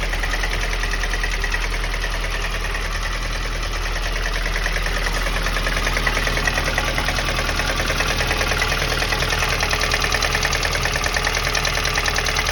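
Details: VAZ 2108 8-valve engine at steady idle: a regular knock, roughly two a second, rides over the engine note; source of the knock unknown.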